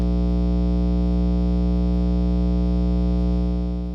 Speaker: The most common kind of noise guitarists come across is main's hum, which sounds like this.